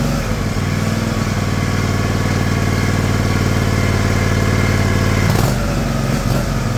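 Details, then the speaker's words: John Deere LX178 single-cylinder mower engine with new replacement carburetor: even steady idle thump, speed dipping slightly near the end, clean; normal idle. "I'm going to look at see if I can slow that down a little"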